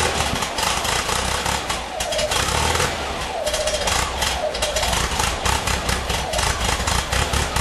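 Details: 1978 VW Type 2 air-cooled engine at cold start: rough, lumpy, wavering idle, struggling to stay running; won't idle when cold but runs fine after 1-2 minutes.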